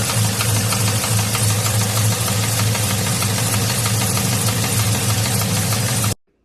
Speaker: as you can tell there's something going on with that motor there and that's the motor that's in the truck that we're putting that n kit on